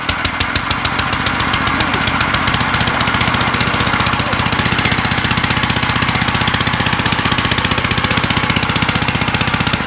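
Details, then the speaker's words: 1955 Gravely Model L single-cylinder, first start after sitting five years, points cleaned, mid throttle, in neutral, choke on: a loud, sharp, raw bark at about four pops a second because the exhaust ear is broken off the threads. It started in two pulls. "it's gonna be loud because of this exhaust issue but is it snapped off or what yeah the ear is broken off the threads there"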